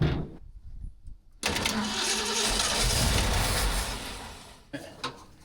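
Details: 1967 Shelby GT500 stored in a container 40 years, first start attempt on old fuel with the bowls possibly not yet full: starter churns at about three turns a second for about three seconds, never firing. Crank no start, cause suspected, not confirmed.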